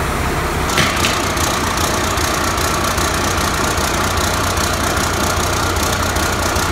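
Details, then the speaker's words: 1993 Ford Louisville L8000 diesel truck, first run after sitting about 11–13 years: steady idle under thin scratchy chirping and squeal from the belt drive; owner says the belt is not happy though the motor runs well. Noisy accessory belt. "That belt is not happy. That belt is not happy at all."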